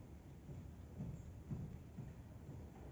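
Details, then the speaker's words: 2013 Chevrolet Spin, wheel off, hub rocked in and out by hand: dull low clunks, about two a second, from a loose front lower control arm ball joint; heard as front suspension knocking on cobblestones. "aqui embaixo tá batendo tá é o pivo zinho que bate"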